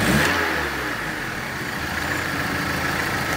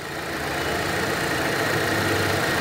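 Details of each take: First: Volkswagen Polo 1.6 petrol with complaint of lifter noise and stalling when put in neutral: smooth even idle with a light rev, no ticking or clatter; a vacuum hose leak was then found. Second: Volkswagen Polo 1.6 petrol at idle, which stalls when put in neutral: a steady airy hiss from a vacuum leak at an open, broken hose port. Half-covering the port changes the sound; the port will be closed off with a hose.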